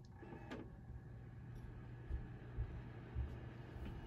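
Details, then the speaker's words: Dell OptiPlex 790 SFF (Core i7-2600, 16 GB) after replacing the broken CPU blower fan that sounded like a saw blade scratching plastic; now a soft, steady low hum with a couple of light clicks, running quietly and normally. "oh that's actually much quieter much quieter that's actually quite nice"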